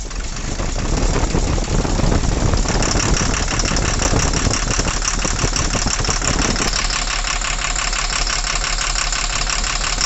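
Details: Tata Cummins BS4 truck diesel: rough, vibrating idle with loose tak-tak knock, no pickup, won't exceed 40; injectors checked, cause found to be a broken valve losing compression.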